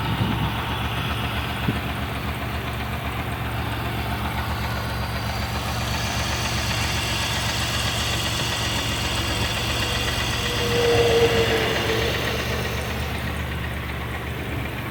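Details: Idling engine: hollow, fairly regular knock about four beats per second under the running sound, worse when cold and quieter once warm; suspected piston slap, not confirmed.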